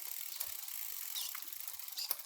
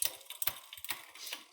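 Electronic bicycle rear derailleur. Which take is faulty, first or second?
second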